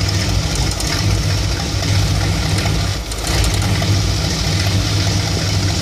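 Low V8 idle that wavers and dips, with an uneven pulse and a brief sag near the middle; warm engine idling roughly.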